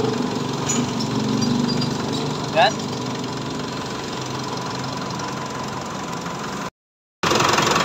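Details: Mitsubishi Montero diesel idling after water pump replacement: even clatter, settled and steady with no misses or knocks; idling normally.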